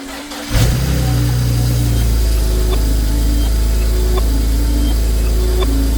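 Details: 2007 BMW 335i (N54) first start after installing relocated turbo inlets and 3-inch catless downpipes. Cranks briefly, catches cleanly and settles into a steady, even idle with no rattles or leak ticking; normal start and idle.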